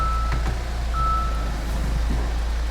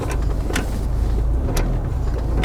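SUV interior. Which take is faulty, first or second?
second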